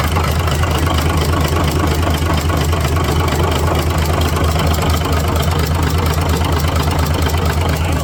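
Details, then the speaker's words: Cummins NHC250 diesel in a 1980s M818 5-ton military truck, first test run after adjustments, oil pressure 60 psi: steady deep idle with even low rumble and regular firing, no misses or knocks; running better than when bought; normal idle. "definitely riding a lot better than it was when I picked it up to go in and adjust a few things"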